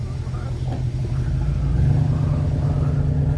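Deep, steady rumble with an even beat and no tapping or misfire after a cold start; engine running healthy.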